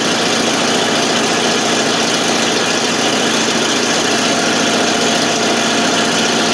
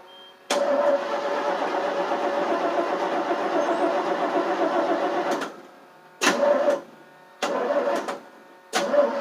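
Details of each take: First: 1988 FMC 6000 with a 5-speed, just started after a long hard start (no fuel was reaching the carb, starting fluid used): loud, rough exhaust rumble at a steady idle with much hiss and no stalling, running on its own. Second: 1988 FMC 6000 with a 5-speed, cranked on boosters with the gas pedal floored: a steady five-second starter whirr, then short cranking bursts with no firing; owner thought it needed starting fluid, but no fuel was reaching the carb.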